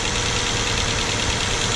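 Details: Mazda SP23 (Mazda3) after a rod-bearing repair for a bearing rattle, first start after priming oil pressure: an even, fast idle with a steady hiss and no rhythmic knock; running smoothly.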